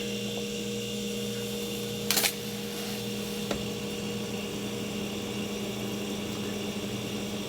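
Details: KitchenAid side-by-side refrigerator condenser fan after replacing the noisy motor and blade (part 2188537/Whirlpool 4387244): smooth, steady, even hum without rubbing, ticking or rattle; normal condenser fan operation.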